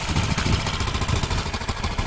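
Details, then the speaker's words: 2003 Honda Metropolitan with swapped-in Ruckus engine, which leaks oil at the crankshaft seal: small single-cylinder popping at a steady quick idle with light mechanical clatter; runs, idles and charges fine. "It sounds pretty good. It's too bad it's leaking."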